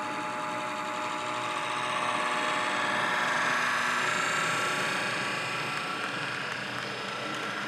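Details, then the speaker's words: Class 66 model locomotive with modified lights, running at set-off: a harsh, gritty whirring drone stays loud and steady while the amp meter reads normal; the motor itself is making the horrible noise, and stripping it didn't fix it. "there is a problem with the motor sounds like and believe me I've um I've taken the motor out I've already stripped this one down discovered that the motor is making this horrible noise"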